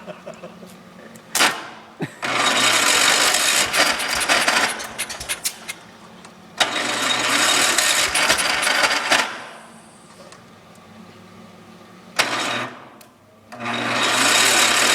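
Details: John Deere 140 garden tractor cold start: three separate cranking bursts of a few seconds each, steady churning with quiet gaps and no catch; engine cranks but won't fire, hard start.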